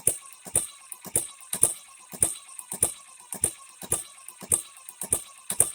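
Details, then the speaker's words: Newly built HM-01 hit-and-miss engine kit on its first real run, not yet broken in, with the oiler about to be switched on: sharp metallic ticks about 100 a minute over a quiet engine, timing gears meshing far too loudly. "it does run but those gears good Lord we shouldn't hear them that"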